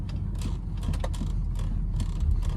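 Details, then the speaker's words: Car rocked side to side from the driver's seat: sharp little ticks and rattles over low cabin rumble each time it is loaded one way; worn left front sway bar link, sharper than a bushing thud. "ticks every every time I load the car one way this the left front is the one that's bad"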